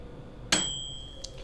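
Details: Cheap 600 W-rated camper microwave, drawing almost 1000 W, run two minutes on a LiFePO4 battery via inverter: single bright ding fading over a second; normal end-of-timer bell, water heated to about 133.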